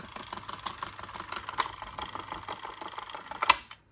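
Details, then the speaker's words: Sony WM-DD30 Walkman cassette player in rewind before repair: fast, even clicking at roughly a dozen per second from a broken center gear, though the transport still works. The fix was a new center gear plus clean and relube. Broken gear clicking. "we all know that this is broken gear that Center gear is is actually oh but it's it's still playing you know still doing something"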